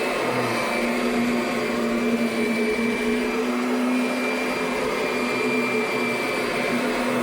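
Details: 2009 Kirby Sentria upright vacuum running: steady motor whine with a faint wavering drone underneath; owner suspects something is rubbing inside.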